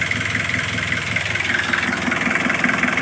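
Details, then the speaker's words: Kia Bongo 2 diesel, cold, after glow plug heater fault fixed that caused hard starting: it starts in one click and settles into a steady, even idle clatter with no misses or hunting; runs healthy. "Y one click mga katambalan solve. So okay na gana lahat RPM."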